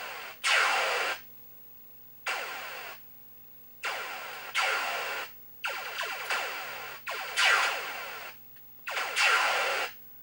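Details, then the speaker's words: 1980 Stern Electronics Berzerk arcade game, VSU speech board: laser zaps and explosions in bursts with silent gaps, no voice lines. No speech output, faulty speech chip. "there is no speech sound sounds good"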